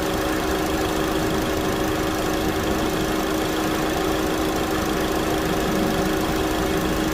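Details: 2009 Chevy Cobalt, 339,428 miles, after a thermostat replacement for code P0128: steady, even idle hum with a constant tone and no knocks or misses. Normal idle.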